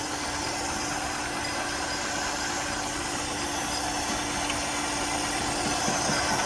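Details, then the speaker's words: 1969 Pontiac Firebird V8 after carburetor replacement, fuel leak gone: steady even idle with smooth lope, no misses or stumbles; needs only slight adjustment. "I'm gonna have to do some little bit of adjusting, but not much. I mean, out of the box, that's pretty damn good."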